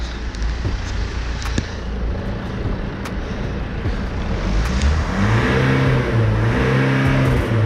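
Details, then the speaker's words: Old BMW 320d diesel with a glow plug system fault, in a Scottish winter; the number three glow plug area was found soaking. Idle rises and falls unevenly with dropped beats, still hunting and missing. Cause suspected, not confirmed. "think number three you hear the car still missing still hunting on the sometimes so"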